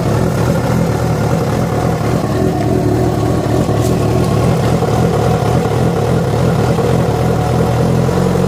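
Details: Yamaha FZ6 revving, with abnormal engine noise that began after riding about 70 km on two cylinders because of a failed ignition coil connector: loud, busy note with an irregular rattly clatter; cause unconfirmed.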